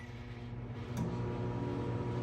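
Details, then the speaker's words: 2001 GE Spacemaker XL1400 microwave running: deep, coarse, loud buzzing hum that grows heavier, with a burnt smell. The magnetron was shorted, 17 ohms filament to case, and took out the HV diode. "It went ba-gee, like a really loud hum, and it smelled burnt right away."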